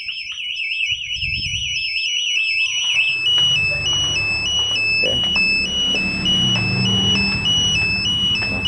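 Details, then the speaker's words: Honda CBR 150 old with BHT Gold smart key alarm (plug-and-play install): warbling siren then repeating two-tone beep over faint rumble after forced start attempt; engine off but alarm won't stop, must be shut off manually. "motor udah mati tapi yang di sini dia nggak mau mati harus mati manual"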